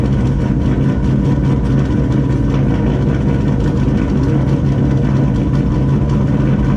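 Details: Turbo GMC truck, first start on a new Turbonetics 78/75 BB turbo, idling only with the intercooler cold side unhooked: steady, even low rumble with no whistle, rattle or knock; sounds normal and quiet, no oil leaks.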